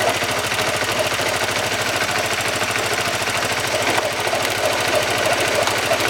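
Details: Honda CBR motorcycle engine, worst on cold starts: rapid metallic knocking, about three a second, over a harsh rumble; a broken bearing inside the engine, also causing clutch housing noise, fixed by engine overhaul.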